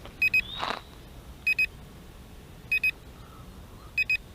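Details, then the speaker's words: Potensic T25 GPS toy drone in flight recording 1080p video: paired short high beeps about every 1.3 seconds over faint outdoor noise, the drone's normal alert throughout video recording. "when you start recording video of this drone it beeps at you the whole time which is you know quite annoying"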